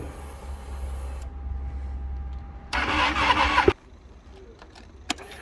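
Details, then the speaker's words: Ducati Panigale 1299 first start in spring after sitting all winter with battery disconnected: starter whirs on and on without catching, then a short burst of cranking; long hard start after storage, eventually started fine. "Вообщем фокус не удался, с первого раза не завёлся Пришлось изрядно покрутить"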